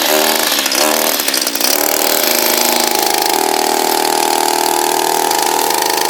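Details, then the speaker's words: Echo SRM230 two-stroke string trimmer after greasing the head with white lithium: high uneven buzz after starting, then a strained wavering whine at speed, still not right; owner suspects heavy use on rose bushes may have overdone it, cause unclear. "it's not sounding right I'm not exactly sure whether we've overdone it"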